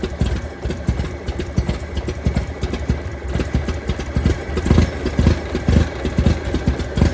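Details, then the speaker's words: 1923 Franklin Model 10, stored about 76 years and once cut into a truck, running lumpy and rough with irregular loud pops and snaps, not yet warm and smoking slightly from engine stop leak; misfire, owner suspects lost spark. "I think it's just running crappy it's running crappy it's running cracking that's a problem"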